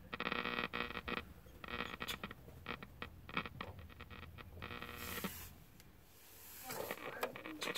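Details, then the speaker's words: 1967 GE clock radio after solder touch-ups: sharp irregular crackles and pops break through broadcast sound; suspected bad connection in volume control, needing cleaning. "like just like a case of bad connection on that volume loud"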